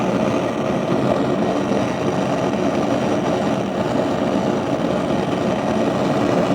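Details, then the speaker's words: Gas stove burner: steady, even rushing roar with no pulsing, much louder than normal flame; owner suspects downstairs tenants' device is causing it; cause unknown. "the chemicals so it can get into the food when i cook that's how the flames sound but you know that on the stove the flames don't sound like that"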